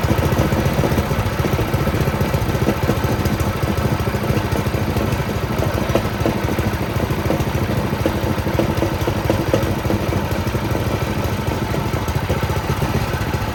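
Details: Doodle Bug mini bike, small single-cylinder engine after swap, first start with a small fuel leak: quick, steady idle with an even beat and no knocks or misfires.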